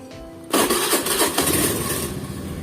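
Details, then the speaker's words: Used automatic scooter started for a pre-purchase check: engine fires straight into a brisk raised idle that eases down, as a cold start should; starting at low rpm would point to a throttle body or air sensor problem; normal cold start. "Biasanya kalau untuk RPM awan itu emang harus tinggi ya harus tinggi terus kemudian rendah yaitu biasa kesna"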